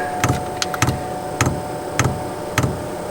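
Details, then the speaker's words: eBay diesel heater being installed in a family caravan, drawing from a jerry can on first start: sharp, even ticks about every half second over faint fan hiss as the dosing pump primes diesel up the line normally. "so we're clicking we haven't pulled any diesel yet but we are pulling diesel"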